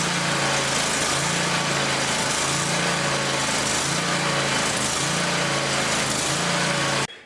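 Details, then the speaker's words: Scag Tiger Cat zero-turn mower, Kohler Command Pro 27 engine at full throttle after replacing blown 20A charging fuse: steady even high-pitched drone without misses or knocks; battery now charging. Normal running. "I'm going to start it up, rev it up to full throttle, and take another voltage reading across the battery."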